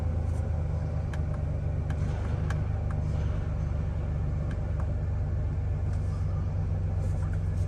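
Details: Chevrolet Silverado with a nearly dead battery, cranking and then idling: a deep, uneven idle with a lumpy low throb and odd stumbles. Very rough idle, cause not confirmed.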